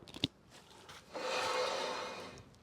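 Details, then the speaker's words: VW T5.1 Transporter jacked up, front wheel spun by hand, owner reports noise rising with speed; suspected wheel bearing: soft dry scraping rub rising and fading with rotation, sounds like brake pad dragging on disc; pads about half worn. "spin the wheel oh that sounds terrible it's sounding brake Paddy if you ask me"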